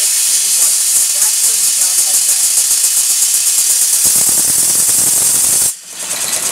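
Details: Showman's traction engine on test, in full forward gear with regulator open: loud continuous hiss with loose pulsing beat, steam blowing through constantly from the LP chest; steam leaking past piston suspected, not confirmed.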